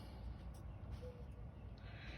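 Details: GE washer during spin: heavy, steady low rumble like a train on tracks; suspected worn, dirty transmission or drive parts, cause not confirmed.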